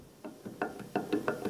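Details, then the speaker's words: Ford 4000 three-cylinder diesel tractor front input shaft bearing, removed and spun by hand: sharp gritty metallic clicks five or six times a second, rough worn bearing. "You can hear it's pretty nasty. So I have to figure out how to get this bearing off."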